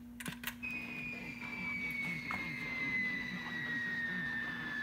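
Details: Rockseed RS310P 0-30V/10A switching bench power supply feeding a converted car radio at 13.8 V, 2 A limit: steady low buzz and a slowly downward-drifting high whistle over the radio; RFI/EMI from the switching supply.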